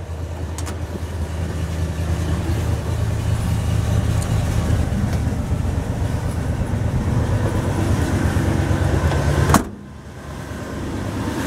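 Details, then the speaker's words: Truck started from cold with the choke pulled fully out, running smooth and slightly rich with no shaking or smoke; as the choke is pushed in the steady idle note sinks and idles down, a normal warm-up response. "running nice and smooth no shaking no smoking or anything just running a little rich because the chokes all the way in but we'll go over and pull it push it in a little bit and you'll hear it idle down and everything"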